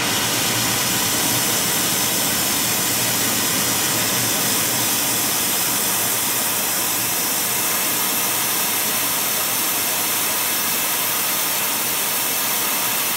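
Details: Airproducts Integra oxy-acetylene cylinders with built-in regulators and small mixer welding torch, pressures set by ear: smooth constant roaring hiss, no popping, spitting or flutter; flame burns steadily, correctly adjusted.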